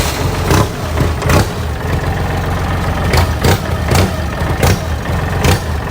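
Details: Used Kubota L3408Di tractor diesel, reconditioned, front axle and gearbox reported good, no white smoke: steady low idle with an even beat and a few louder knocks on top, no misfire or rattle, healthy engine.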